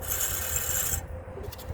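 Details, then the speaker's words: 2009 Chevrolet Traverse during brake pad replacement: harsh rasping scrape as the rotor turns, from a pad hardware clip tab hung up behind the caliper bracket grinding on the rotor edge; fix is tucking and snapping the tabs back down. "So got these little tabs right here that tuck up behind the caliper bracket, and sometimes they get hung up and they'll grind on the rotor."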